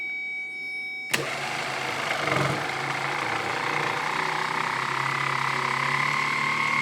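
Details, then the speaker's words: 1970 Triumph TR6 starter motor bench-tested off the car on a good 12 V battery; whirs up to rising hum, then drags, slows and seizes; owner judges internal corrosion, will clean and paint it: starter binding. "it's picking up speed which tells me that it is a little bit corroded inside and now slowing down again"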